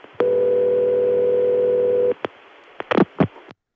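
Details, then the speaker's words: Call to Denver's 757 step office, early-1980s Bell System: one long buzzy "Murray Ring" ringback of about two seconds, then clicks and switching noise; the city ring machine was possibly modified or defective, not confirmed. "It has Murray Ring, which if you weren't paying attention might sound like that typical crossbar 5 type ring. But if you listen carefully, it's clearly something else."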